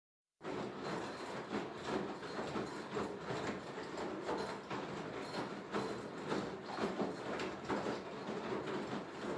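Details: Beko HTV 8733 XSO washer-dryer running with a loose irregular clatter, roughly one knock a second, over a hollow rumble; strange noise, cause not yet identified.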